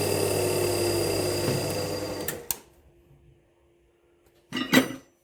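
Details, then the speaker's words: Twin mill/drill after spindle bearing replacement, earlier spindle overheating; at maximum speed, 3,100 RPM, a loud busy whir sags and dies to nothing within seconds, then a clunk, like grinding to a halt; spindle bogging down, owner wonders about load, cause unknown. "Now, what happened there? That was like grinding to a halt."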